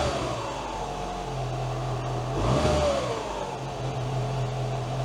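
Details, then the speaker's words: 2012 Mini Cooper 1.6L idling rough with an uneven, wavering note and a brief rise midway; misfire being diagnosed, VANOS suspected, coolant reservoir found empty; codes cleared but idle still not smooth, cause unconfirmed. "Yeah, see, it's idling. It's idling rough."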